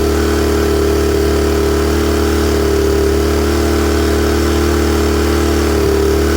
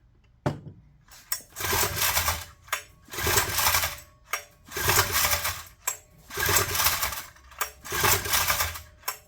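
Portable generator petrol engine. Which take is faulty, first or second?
second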